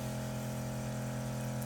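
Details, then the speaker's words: Replacement pump on a homemade truck-mounted pure-water window-cleaning system, running with the metal rinse bar: even, unwavering low hum with a steady tone, no surging; pressure is adequate. "You can see what that little pump does, how much pressure."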